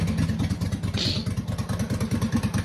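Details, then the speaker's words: Homebuilt racing lawnmower, small single-cylinder engine just started, choke off: runs fast and uneven about nine pulses a second with an intermittent light tick; engine ticking, source unknown. "I don't know if you can hear it or not it it'll it'll come and go it'll be there and then sometimes it won't"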